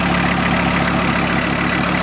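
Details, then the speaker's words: VW T4 van with AAB diesel engine, about 250 km since revival, old 5-year-old diesel, warmed toward 60°C oil temperature: even, steady idle clatter with no misses or knocks, slightly fast; idle sounds normal. "Joten ääni mielestäni on normaali."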